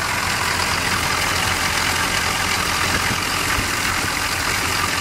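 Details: Squarebody V8 truck with new Hydro Boost lines and water pump: steady, even idle with a smooth low rumble and no knocks, ticks or misses; running healthy.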